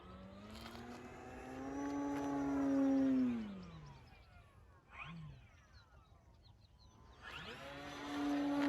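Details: FMS Pitts electric RC plane after balancing prop and spinner and fixing loose parts, 6 mph wind, 48 degrees: clean prop tone rising and falling on pass, no buzz or rattle; noise gone, normal smooth flight.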